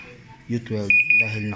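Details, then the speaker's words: Panasonic automatic washing machine after controller board repair for no power: steady high beep repeating about three times in quick pulses; error alarm because the front panel is detached. "pagkapaso I mean nakatanggal yung pinaka panel kaya siya nag-error"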